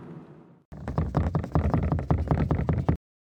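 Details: Kia Rio parcel shelf rattling against its side-panel mounts while driving: uneven bursts of hollow plastic clunks, two or three a second, over quiet road rumble.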